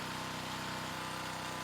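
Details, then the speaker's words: New Predator small engine running with sand in the oil, just under 12 minutes into the test: fast, even ticking rattle over a steady run, getting noisy as the sand takes its toll. "At just under 12 minutes, the sand is really beginning to take a toll on the engine. Unfortunately, the engine is making quite a bit of noise."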